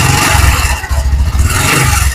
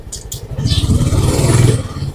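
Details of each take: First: Honda Supra X 125 PGM-FI idling after a rough start, with a quick metallic ngecrek chatter around four clicks a second; a slack, worn cam chain (rantai keteng) rattling, to be fixed by replacing the cam chain. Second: Honda Supra X 125 PGM-FI ridden in third gear after cam chain and clutch replacement and valve clearance adjustment: strong, smooth engine note with no rattle or tapping. The earlier rattling noise is gone; the engine sounds healthy.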